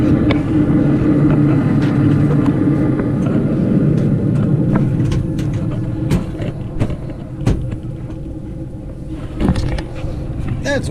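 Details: Carrier Infinity propane furnace after birds removed from blocked flue pipe and inducer reinstalled: even, steady low rumble, no rattles or surging from inducer and burner; normal operation after repair.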